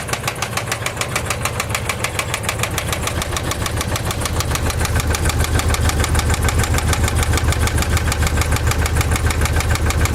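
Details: 2004 Dodge Durango 5.7L V8 at idle, loud, fast, steady ticking over the low engine rumble; truck has been down for two months, cause unknown.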